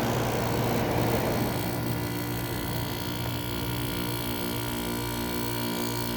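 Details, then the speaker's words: Kenmore 7000 BTU window air conditioner made in 2000 by White Westinghouse, on constant cool on a hot day so the compressor doesn't cycle off: steady low hum with faint even drone, no rattles or clicks, quiet and cold; normal compressor running. "thank you that compressor gets pretty quiet yeah it gets pretty cold and also pretty quiet too"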